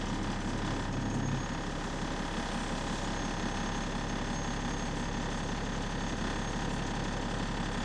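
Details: Onboard bus AL DW486 on route 144 with an exhaust leak: a fast, light ratchety puffing tick rides over the steady diesel drone.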